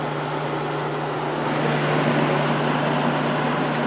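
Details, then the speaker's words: Vintage Coolerator 7,000 BTU window AC with a Matsushita rotary compressor and Emerson fan motor, running on high fan with a capacitor due for replacement. A steady low hum under a strong, even rush of air through the condenser coil. Normal condenser airflow. "lots of air flowing through the condenser coil now"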